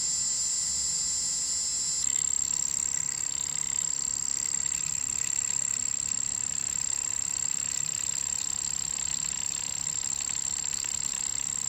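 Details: Bambu A1 mini 3D printer not printing, with a thin high-pitched buzz and a fast, even tick about three times a second; abnormal buzzing noise, cause and fix unknown.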